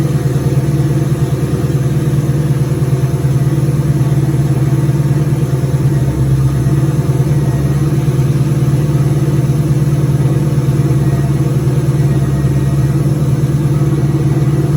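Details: 2003 turbo Mustang Cobra V8 idling after reinstall with new valve cover gaskets, about 55 psi return-style fuel, intercooler cold-side pipe disconnected: even settled smooth low burble, no tapping or grinding; normal idle.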